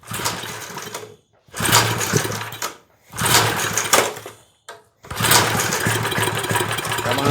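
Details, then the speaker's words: 1970s Hahn Eclipse BHT-120 tiller, 3.5 hp flathead Briggs & Stratton with 60 psi compression, first start after years of neglect and a carburetor cleaning: catches in short ragged bursts with dead gaps, then quits. Sputtering start, won't keep running. "on. Oh, we got it. Now, how do I keep it running? Oh, it just quit on me."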